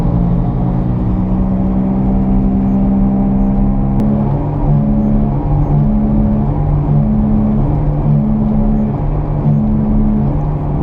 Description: The first is the growling sound while driving straight. In the second part, you can hear a modified sound caused by the steering wheel being turned left and reft while driving.